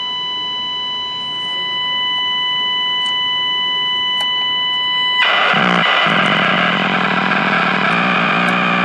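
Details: Packard Bell 35 AM tube radio under restoration, coils and tubes checked, nothing passing the IF stage; steady high whistles for several seconds, then harsh buzzing hiss, no station. Squeal and buzz instead of stations.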